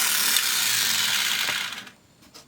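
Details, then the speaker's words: Samsung Blu-ray player drive, before the tray repair: after pressing stop and opening the tray, the disc keeps spinning and a fast, dry ratcheting clatter lasts under two seconds. Tray gear ratcheting; a broken or stretched clip is suspected. "The only thing I don't like is when you eject this one. I hit stop. But our disc is still spinning."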